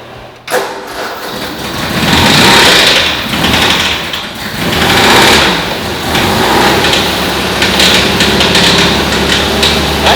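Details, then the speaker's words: 1970s MGB sat undriven for years, started on starting fluid: rough uneven running with fast metallic ticking from the top of the engine, suspected in the valve cover; cause not confirmed, valve cover to be removed. "That doesn't sound good. Does not sound good at all. No, it's not much. That's like in the valve cover. I'm gonna have to pull the valve cover off. That's like in the top of the engine."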